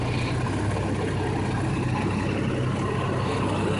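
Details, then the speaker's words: 1989 Jeep Cherokee 4.0L I6 Renix idling after overhaul: steady even low rumble, no knocks, ticks or misses; no strange noises, though owner suspects the harmonic balancer wobbles slightly. "i don't know but uh everything else sounds like it's doing good no strange noises no strange looking things for the most part stuff looks"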